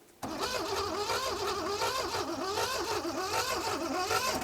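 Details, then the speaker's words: 1970s Pontiac Phoenix parked 20+ years, cranked via hot-wire: slow, uneven, wheezy cranking that never fires; weak cranking, no start, owner suspects no compression. "that sounds [Laughter] bad it's very weak why does it sound like that you think it sounds like my lawn mower it really does honestly like there's no compression to it"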